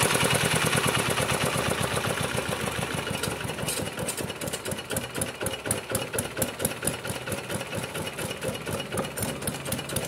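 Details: Kubota RD65DIS single-cylinder diesel, modified with RD85 pusher and non-standard piston, test-run after cylinder head refit and timing set, no exhaust fitted: even thumping firing beat settling as it slows, sharp open exhaust pulses; clean combustion, normal running.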